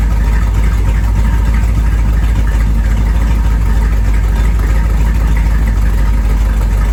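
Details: 1973 Corvette small-block V8, first drive in 5 years: deep steady rumble, even firing beat, no knocks or misses; normal running.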